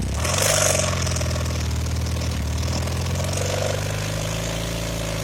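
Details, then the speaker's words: Honda CM450C twin on rear kickstand, carb visibly shaking: low uneven lope with irregular pops only in a narrow rpm range when accelerating or slowing through it; backfiring, owner suspects points set too far advanced, unconfirmed. "it's actually my bike is backfiring and I can tell this because when it does this it shoots the carb back and forth a little bit from the you know the backfiring so I'm thinking my points are set too far in advance what do you think"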